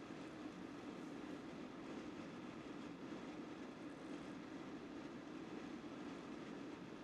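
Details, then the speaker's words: Vetroo Lurker V360 AIO cooler's three 120 mm aRGB fans (800–1800 rpm) turned up to maximum: loud, steady rushing air with a drone near 300 Hz, having surged up and down earlier; the fans sound strange and loud, cause unknown. "yeah not too sure about these fans from what it sounds like i would definitely not recommend them they're sounding hella strange and they're loud"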